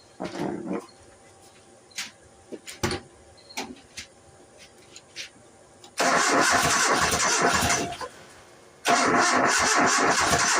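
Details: 1990 Nissan D21 4-cylinder 5-speed 4x4 regular cab: sputtering cranking bursts that catch briefly and die, no steady idle; getting fuel and spark, no known vacuum leaks, suspected out of ignition timing.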